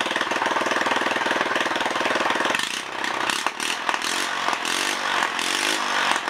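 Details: Honda ES4500 generator engine, test fired after rebuild with no exhaust fitted: loud, crackly open-exhaust bark at a steady speed for a few seconds. Fires and runs evenly.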